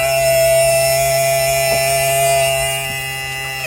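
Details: New sailboat bilge pump, temporary bench wiring test before installation; loud steady electric whine at constant pitch, running smoothly, then dropping in pitch as the pump switches off; healthy pump.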